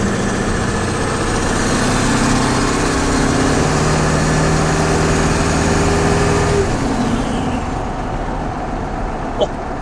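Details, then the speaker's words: Old turbo 7.3 diesel Ford F250 at highway speed right after wheel bearing replacement: steady diesel drone and even road hiss, no wheel growl or hum; the bad bearings' noise is gone. "dead silent. Holy shit. So, This thing is so much quieter now. those wheel bearings were really bad."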